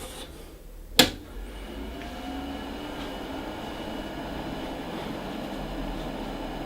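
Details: Commodore PC20 (originally a 640K 8088) upgraded with a Pentium, at power-on: a switch click, then a fan spins up to a steady soft whir with no grinding or odd beeps; a clean, normal start.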